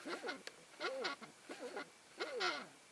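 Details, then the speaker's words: Canon 50mm f/1.8 lens on a Sony A7S via LA-EA4 adapter, turned by manual focus: short squeaky chirps rising and falling in pitch with each focus turn, a squeak from the focus mechanism. "the problem with manual focus actually there's no problem with manual focus but the problem is when you focus this lens makes this type of sound"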